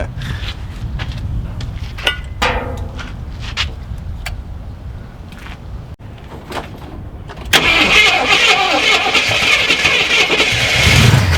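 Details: Long-stored Jeep Cherokee Chief V8 on first start attempt, gas suspected bad and tank nearly empty, oil pressure showing: quiet clicks then long steady cranking that never fires; cranking no-start from fuel starvation.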